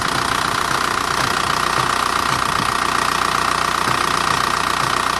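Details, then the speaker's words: Diesel engine at idle during injection pump timing adjustment after pump repair; pump tapped with a small hammer away from the timing belt, VCDS reading dropping from 10 toward about 3. Steady clatter, note shifting slightly as timing moves. "And you can hear it change pitch. He wants to get it right around 3."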